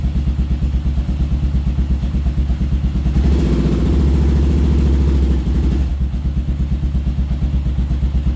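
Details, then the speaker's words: Kawasaki KLR650 single-cylinder, freshly cleaned carb, choke off, running: lumpy thump at idle swells when revved, then hesitates and pops from the exhaust; owner suspects it is starving for fuel on revving, causing a stumble and backfire. "I think uh it's starving a little bit for fuel when you rev it but uh sounds pretty good you can hear right [Music] here yeah so it's backfiring a little bit out of that there"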